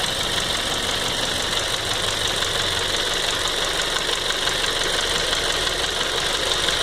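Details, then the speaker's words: 2007 Ford Focus 2.0 Duratec at idle: steady hum with light, fast ticking about three per second; owner unsure if normal, has heard injector rails can be noisy. Engine ticking at idle. "2007 Ford Focus. Just trying to figure out if this ticking noise is normal. I've heard some people say the injector rails can be noisy."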